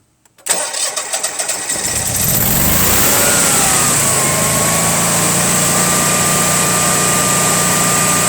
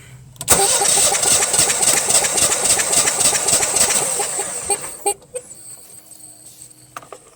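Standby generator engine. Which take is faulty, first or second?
second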